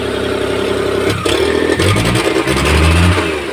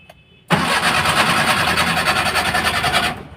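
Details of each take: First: Maruti Omni that cranked but would not start, after the spark plug ignition cables were refitted in the correct order: starts on the first crank and revs up and down cleanly in repeated blips, with no misfire. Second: Maruti Omni, immobilizer light steady and check-engine light on: starter spins the engine steadily for about two and a half seconds with an even churning rhythm but it never catches. Cranks, no start; fault in the ignition (HT) spark plug cables.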